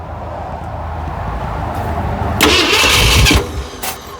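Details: 1969 Ford F100, carburetor leaking fuel through the butterfly shaft: steady starter cranking at about three to four beats a second with a few loud bursts, never catching. Cranks but won't start; timing suspected, possibly the pin again, not confirmed.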